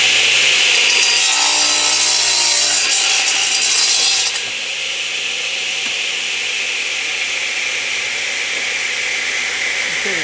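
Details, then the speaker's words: Delta 12 in 33-892 radial arm saw crosscutting a board, with the saw pulled through faster at a typical feed speed and guided by the left hand. A steady, even rasp and high whir with no chatter or bogging; a normal cut that comes out clean thanks to the installed blade. "So, let's make another cut here. And I'm going to take a little bit more off the board. And this time, I'll move the saw out a little more rapidly."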